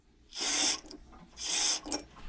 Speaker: You can hear the pressure relief too. And it works just fine.